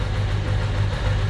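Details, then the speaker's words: Ducati 750SS with Mikuni carbs at idle, idle mixture screws wound fully in from about four turns out (about 1.2% CO): low, lumpy, uneven beat with one cylinder dropped out, lean idle misfire. "as you can tell now it's running on one cylinder because the auto mixure screws all the way in"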